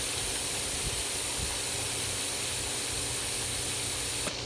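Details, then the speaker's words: In-ground pool cartridge filter after cleaning, pump back on, bleeder valve open: steady, even hiss of water jetting out with no sputter left; air purged, steady water spray, valve then closed. "And once the air is fully out, you're just going to see a stream of water shoot across."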